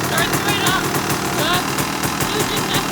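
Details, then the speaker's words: 2002 Honda CR250R two-stroke dirt bike, first start after sitting over winter, in neutral with clutch in: catches straight away and settles into a crisp, popping idle on choke; normal cold start and idle. "Good method to always start your dirt bike after it's been sitting over the winter."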